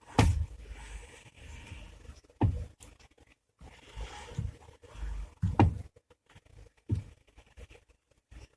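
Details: Chery Tiggo 7 steering: dull, heavy irregular knocks traced by stethoscope to the electric power steering unit on the column, heard with the wheel locked in its lowest position and when turning; all joints and U-joints already tightened and checked. Rare fault that misleads suspension diagnosticians.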